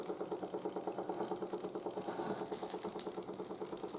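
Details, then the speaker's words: 1914 Ernst Plank 114/1 steam engine running hot after running-gear rebuild: a light, even knock about three times a second rides on the steady chuff, quieter than before. Cause not found. "as you can hear the knocking is still there try and fix that with but it's a lot quieter now than it was before"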